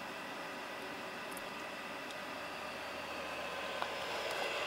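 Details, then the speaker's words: VEVOR 27,200 BTU diesel air heater in cool-down mode after switch-off, with fuel and igniter cut automatically: steady airy blower whoosh with no combustion roar or ticking while it cools the combustion chamber. Normal cool-down. "it's going into the coold down mode so it'll automatically shut the fuel off shut the igniter off and it's going to keep blowing combustion there through there until it cools down the uh combustion chamber"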